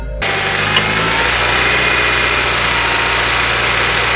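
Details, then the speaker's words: Nissan Qashqai, engine starting and idling: thin steady high-pitched squeal held throughout from a slipping auxiliary belt, before belt replacement. "hey everyone welcome to another car expose video and I've got question for you today what's worse than a squeaky auxiliary belt"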